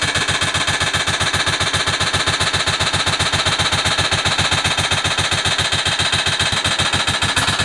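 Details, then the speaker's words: Motorcycle, on starting: loud, sharp ticking at a steady two or three knocks per second, owner unsure of its source, seeming to come from the side; the cause was a loose cam sprocket bolt. "it's unbelievable ticking noise what I hear there I absolutely not sure what that is looks as if it's coming from the site we're starting it"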